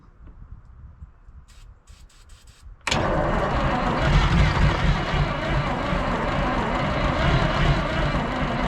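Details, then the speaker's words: 1973 Peterbilt 352 cabover, 12V71 Detroit Diesel, sitting since 1986: three seconds of quiet, then a long, loud, even cranking roar that never runs; smoke has stopped and batteries are draining; owner suspects a fuel problem. "all right if you notice we're not getting smoked no more i think we got a fueling problem"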